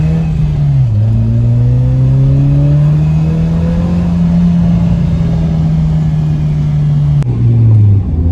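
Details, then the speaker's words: Ford Mondeo after breakdown, fixed by replacing coolant temp sensor and fuel pump: engine note climbs strongly and evenly in first and second under hard throttle, no stumbles or misses; healthy acceleration after 90-mile test drive. "Yeah, as you saw just then, when I booted it in first and second, it pulled, and I've done a long test run because I just wanted to give it some time."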